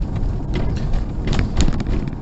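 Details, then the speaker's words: Mercedes SL R230 folding hardtop gives irregular light knocks and creaks over heavy road rumble while driving; two hidden 10mm roof mounting screws on both sides are adjusted to stop it. "have you got rattles like that and is it doing your heading then watch a little further and we'll see if we can get the bottom of it"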